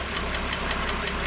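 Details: BMW 330i N52 at warm idle, 10–15 minutes after a cold start: quick, even ticking about five or six per second over a smooth engine hum; cause unclear.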